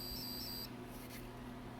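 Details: ALR PowerFlex 386 PC motherboard: one short, high warbling beep under a second long, then only faint fan hum, repeatably; failing power-on self-test, with the 8042 pulled and joints resoldered making no difference. Cause unknown.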